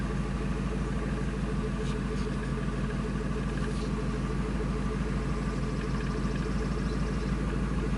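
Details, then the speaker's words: 1999 Ford F250 5.4L V8, after an EGR valve fix for surging/rough idle, going from open to closed loop: steady, deep, even idle with no stumble or hunting; normal idle. "so they're following each other it's great idling real nice and smooth I like it"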